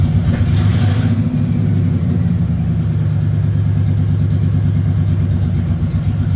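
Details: 1996 Ford F150 parked in a barn, where rodents chewed the injector wires: steady low V8 idle running a little off, with a faint uneven lope; misfire from the chewed injector wiring, pigtails to be replaced.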